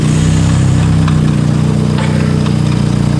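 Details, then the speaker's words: SR20 engine in a 180SX bought as "blown up", reassembled and started for the first time, smelling of fuel: steady even low idle, no knocks, misses or squeals; runs good, normal idle. "Are you kidding me? It runs good."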